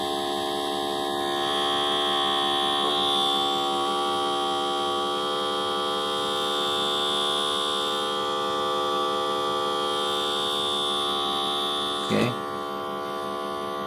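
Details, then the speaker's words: Printer head and cartridge vacuum cleaning machine during the cleaning process with unused nozzle posts capped: steady electric hum with high even whine and quick pulsing, constant throughout; pump running normally. "lalu kita Nyalakan lagi kita Nyalakan lagi Oke sama ini nah ini proses pembersihan"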